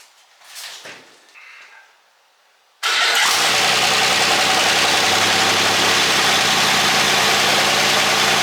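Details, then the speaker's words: 1963 Buick Special project car started with the key after a week unstarted, no pedal, no gas added, coil hot-wired: short quiet spell, then catches at once and settles into a steady, even idle; healthy cold start. "I didn't do anything to that, by the way. I didn't hit the pedal. I didn't put gas in it. Nothing. I just hit the key and she fired right up. And it hasn't been started for a week."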